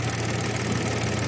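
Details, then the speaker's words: Mitsubishi Mirage hatchback, 3-cylinder, about 95,000 on the clock, at idle: a coarse buzzing shake with a faint rattle, with vibration strong enough to shake a hand; worn engine support is suspected, though this is unconfirmed. "Feeling ko kailangan ng palitan engine support nito. Ang lakas eh."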